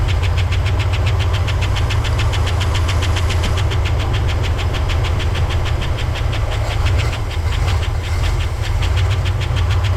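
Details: 1964 Oldsmobile 98 V8, first start after years sitting, old fuel, carburetor bowl filled by hand: loud slow idle around 600 rpm with lumpy uneven beat and regular sharp pulses over the rumble; idles rough and low.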